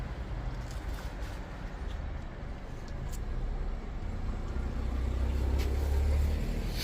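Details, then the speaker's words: 2009 Mitsubishi Colt 1.3 L petrol after replacing the misfiring cylinder 4 ignition coil with a used one: steady, even idle with no stumble or missing pulse; normal, smooth idle. "As you can hear now, the engine is running very smooth."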